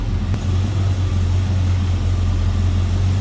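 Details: 1972 Chevrolet C10, rebuilt 350 V8, TH350 automatic, at cold idle, at the front with hood being opened: deep, steady burble with even beat, no knocks or ticks; normal clean idle.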